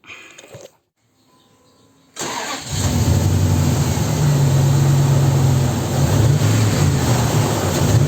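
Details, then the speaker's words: 2002 Dodge Ram that misfired with a flashing check-engine light after an engine wash let water into the coil and spark plug wells, after drying: engine catches quickly and revs smoothly, light no longer flashing; normal start and rev. "La luz de check engine ya no parpadea."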